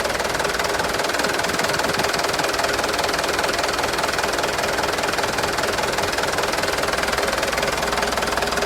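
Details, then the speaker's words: 2013 HD 125 PS used truck diesel engine at idle: steady, even, crisp clatter at a regular beat, no misses or knocks; complete and dry ("perpak garing"), engine sounds healthy; normal idle. "ini yang kita cari-cari ini seperti ini dari suara udah kedengaran Enak suaranya enak Lur ya"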